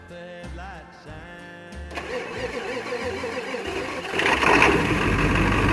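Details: 1994.5 Ford 7.3 Powerstroke turbo diesel cold start after glow plugs: a few slow cranking pulses, then it fires and picks up to a steady clattering idle. Normal cold start.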